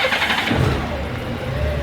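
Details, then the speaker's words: 2002 Honda GL1800 Goldwing ABS model, bought at insurance auction without a key: starter catches within a second, then a smooth, even low rumble with no knocks or misses; healthy start, runs like a typical Goldwing. "But as you notice, it's a typical Goldwing. Sounds like a Goldwing, runs like a Goldwing, lights everywhere."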